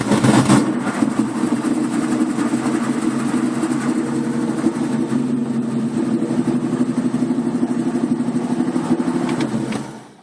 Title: 1965 mustang 2150 carb rough idle